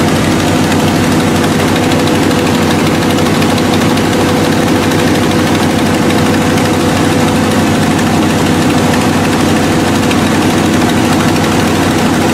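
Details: Buick with carbureted V8, cold start after new cap, rotor, wires and ignition coil: still misfiring, steady low thrum with an uneven beat and poor idle. Owner suspects points/condenser, dirt/oil under the distributor, fuel delivery, or a poor coil wire connection.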